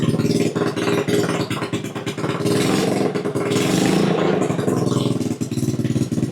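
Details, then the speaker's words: 110cc single fitted in a ChoppyCub custom build, first start on choke after the build: revs up and settles with crisp, quick firing, no knocks or grinding; runs cleanly. "runs runs pretty well. I'll just let that run for 15 minutes or so."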